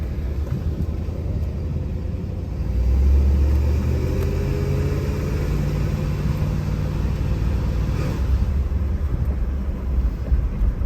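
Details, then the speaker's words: 1975 Lincoln V8 after rebuild and exhaust manifold gasket replacement, on a test drive: a deep, even rumble that pulls smoothly as revs rise, with no clacking under road noise. Normal running; the accelerator sticks slightly and transmission fluid is possibly low. "I am so thrilled this thing it is so smooth running it was rough before thrilled it runs awesome sounds good as far as it doesn't have that clanking or clacking exhaust manifold gasket that was awful"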